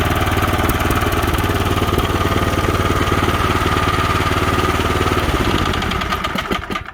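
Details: DR field and brush mower used as snow machine, in neutral: quick, even putter at steady idle fading smoothly as it shuts off; small single-cylinder running properly after repair.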